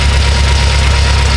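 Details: BMW M6 with S63 twin-turbo V8 at idle: a deep, heavy rumble with a lumpy, uneven pulse. Coil control was confirmed from both ECUs, so the multiple-cylinder misfire is traced to failing fuel injectors.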